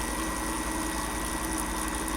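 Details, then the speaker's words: Fogger 3 pump after dirty residue came out, with fluid coming through the line. A steady, even buzzing hum with a constant low pulse and no knocking, sputter or strain; the pump is running healthy. "pump is good. Running through clean. Alright, so we're good there."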